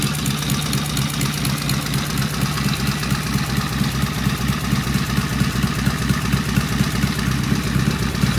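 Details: Vintage British twin motorcycle "Fred" first start on the lift with primary open and pseudo-Dunstall mufflers; steady, even lumpy twin idle with no tapping or knocking, healthy.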